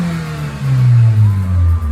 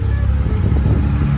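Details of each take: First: 2002 Mitsubishi Lancer OZ Rally, previously dying on acceleration; after new fuel filter, MAF, TPS and IACV, idle screw fully closed, ~10 minutes idling: revs up smoothly and settles back without stumbling or dying; idle still bouncing. Clean revving without stalling. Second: 2002 Lancer OZ Rally that loses power and dies when accelerating, after new fuel filter, MAF, TPS and IACV: low, lumpy, sputtering idle with uneven beat and occasional stumbles; rough idle matching the original fault.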